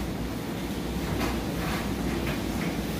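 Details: Whirlpool Ultra Care II electric dryer on timed dry, high heat (door switch bypassed): a steady low drum rumble with soft rhythmic swishes and no scraping or squeal. Running normally.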